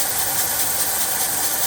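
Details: 1979 Ford F350 dually, 400M small block V8, warm: loud airy hiss over rough idle like sucking air; owner unsure where, later found plugged mufflers pushing air back through carburetor.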